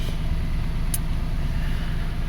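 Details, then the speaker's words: 2005 Toyota Passo after its coil ground fault (no-start cause) was fixed; coils show perfect firing, though one coil is disliked but firing fine; low, steady, even idle rumble, one brief click, no misses or knocks; normal idle. "Oh, there we have perfect firing, perfect command. I don't like this coil, but it's firing."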